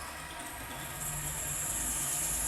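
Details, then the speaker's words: 5mm carbide drill bit fed slowly on a 1975 Solberga drill press through the hardened outer skin of a bearing ball: harsh, hissing high-pitched screech building steadily; it sounds bad until the bit passes the hard part. "it goes through the hard part. It sounds bad. Now it's over the hard part."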